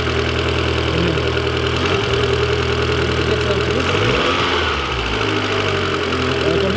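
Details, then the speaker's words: 1.8 20V turbo engine after repair with new turbo: light uneven ticking clatter over steady idle; new hydraulic lifters not yet primed with oil, considered normal. "Donc le moteur il clacote un peu, c'est normal, les pousseurs sont neutres et pas amorcés."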